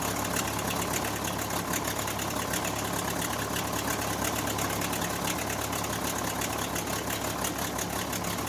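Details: Case 580C backhoe diesel, first start after valve adjustment, injector replacement and fuel stop cable fix; settles to steady idle with even clatter about three beats per second, no stray knocks. Normal idle.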